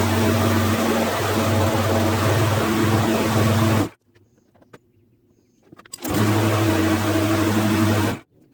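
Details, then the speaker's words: Craftsman lawn mower after cleaning: a steady loud engine drone with a buzzy edge that cuts and restarts, as the engine cover vibrates badly, likely loose from a missing screw. "When I turn it on, this cover vibrates really badly. Now, there's a missing screw in there. So I think that's why the cover's vibrating really badly."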